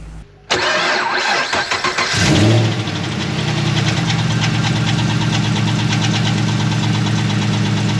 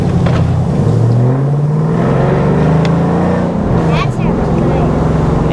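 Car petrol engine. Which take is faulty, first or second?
first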